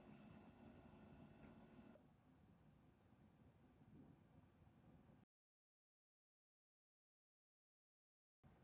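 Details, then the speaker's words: Old Macintosh SE after replacing the noisy cooling fan: soft, even airy whir at low volume with no whine, rattle or ticking; new fan much quieter than the old one and moves more air. "yes this thing is quiet i mean like you can still hear it but it's a lot quieter than what it was wow"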